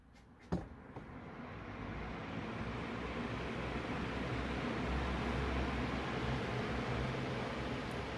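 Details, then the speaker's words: Room fan that took long to reach speed, after oiling front and rear motor bearings, reassembled, in a hot shed; whoosh rises quickly then settles into steady airflow hum, no rubbing or squeal; working normally. "seems to be working great maybe you could help me cool down in the shed which is probably over 100 degrees in here right now"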